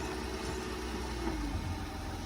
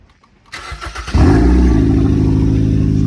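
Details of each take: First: 2003 Mercedes C240 at a tow auction, started with a jump and moved backward and forward; steady even low idle hum with a faint whistle and no knocks or misses; normal idle. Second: Towed-in Hyundai, apparently a 2013 Sonata, started at a police tow auction: it catches and settles into a loud, deep, steady drone with a rough low rumble; loud exhaust, possibly a leak, not confirmed.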